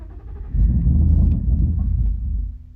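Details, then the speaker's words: Rebuilt 5.0, cold weather, jump pack at 12 volts: low uneven churning crank for about two seconds that never fires; owner suspects fuel pump or low voltage to the pump, not enough fuel. "now I am thinking fuel pump or something wrong with the voltage the fuel pump's getting cuz obviously it's not getting enough fuel I try one more time"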